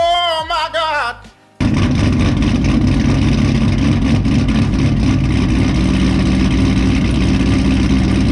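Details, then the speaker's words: Pontiac G8 GT with longtube headers, straight pipe exhaust, Vararam intake and tune, just after start-up, spitting smoke: loud, lumpy, uneven chopping idle that sounds rich and misfiring; rough idle, dirty MAF sensor blamed. "but the fact that it's spitting smoke out like that and it sounds like a cam like the other day when i started up it was chopping for a good like like a good like a good minute until like i i turned it off and turned it back on"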